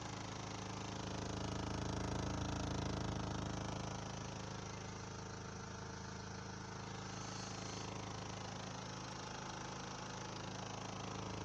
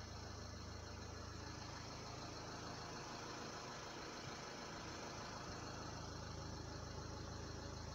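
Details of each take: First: Vibration tableau de bord Renault Laguna 3 Coupé 2. DCI 😉 Second: Renault Laguna 3 Coupé 2.0 dCi 180 diesel idling, heard in-cabin after wedging foam strips into the upper dashboard: even low hum with no dashboard vibration or rattle.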